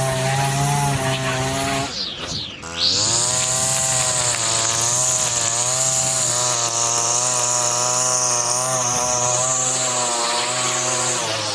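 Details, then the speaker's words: Line trimmer with Arnetoli F-ONE head, forced line breakage against plastic: shrill two-stroke scream dips and clatters near two seconds, then holds higher and steadier as line wore short and snapped; engine over-revving. "the RPM was getting super high because the line was getting shorter and shorter and then it it swallowed the line unfo"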